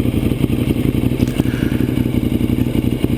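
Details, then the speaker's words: 2009 Ducati 848 after reconnecting a disconnected fuel pump hose, full tank, outdoors: cranks much faster now and settles into a steady, lumpy twin idle of about four pulses a second with no knocks or misses. "cranks up a lot faster now and that's just vibration that you see there in the fuel"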